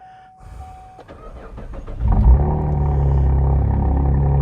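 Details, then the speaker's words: 2012 Camaro being rebuilt, started on a good battery after a radiator repair with the fans loosely fitted: short crank, catches in about two seconds, then a steady, even idle with no codes or misses; normal start and idle. "No codes. Engine light went out. That's what I was hoping to see today. Sucker sounds good."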